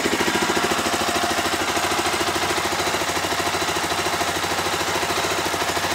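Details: Stels GT 400 single-cylinder engine started after repair, running steadily at a fast idle with a loud, fast, even putter; runs properly.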